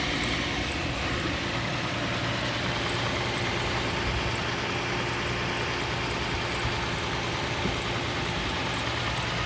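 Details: 2nd-gen Toyota Tacoma, cold start: light, high-pitched tick about two to three times a second at idle, heard only below 35 degrees for the first 5 minutes.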